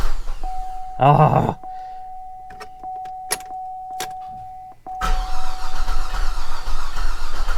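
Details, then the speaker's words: Hard start with extended cranking on a flood-damaged Copart Cadillac SRX, on a newly installed starter: a short crank, a long pause with a steady chime, then it fires into a rough-edged run. The owner suspects it is flooded. "All right. I don't want to burn up the new starter. We're cranking it way too much."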